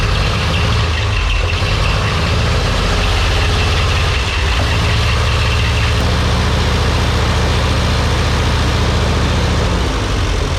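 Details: Ferguson TEA 20-85 tractor that was dead with weak spark, after condenser replacement: deep, steady idle settling to a lower even beat midway, no misses or popping. Normal idle.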